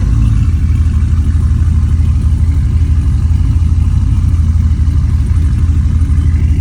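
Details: SS V8 cold start after a week and a half without starting, owner says it badly needs a tune: deep, lumpy, uneven loping idle, running rough; cause suspected, not confirmed.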